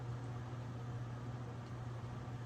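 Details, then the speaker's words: General Electric Standard fan, circa 1927, after repair, on low speed drawing 1.03 A and 35.2 W: steady low hum at one even pitch with a quiet airy background; normal old fan motor hum. "And it obviously has a bit of a hum to it, as most old fans do."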